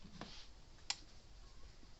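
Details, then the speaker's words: Gallagher M800/BEV3/M1500 fence charger after retrofitting an epoxy-encased output transformer, which muffles clicking without changing output; quiet single sharp clicks about every 1.1 seconds: normal pulse, much quieter than before. "See, it's a lot quieter than what it was. You know, you guys didn't hear it at the beginning. If you got one of these things, you know what these normally sound like."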